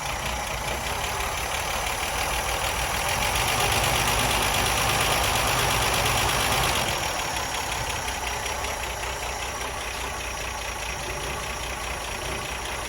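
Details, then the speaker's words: Ford Mk1 Granada 3.0 V6 Ghia being recommissioned, fully warm with the water pipes hot: an even V6 idle with a mild rise and fall in revs and a steady airy hiss, running cleanly and sounding sweet. "brilliant sounding sweet making lotsa lotsa progress"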